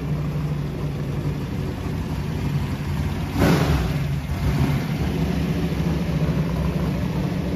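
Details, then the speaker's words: Camaro with turbos, rev limiter set at 5,000 rpm: hard-revving engine holds a high steady note, then a sharp bang and surge as it bangs off the rev limiter. "Set at 5,000. You do have the rev limiter."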